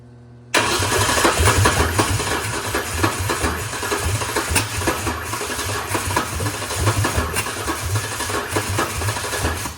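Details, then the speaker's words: Ford Ranger (1993–2006 parts build) with swapped Taurus 3.0 and 5-speed, first startup: starter churns in uneven pulses nearly ten seconds without catching; getting fire but won't start, cause unconfirmed. Crank no start. "Something still says I'm not a fan of something. I just don't know what."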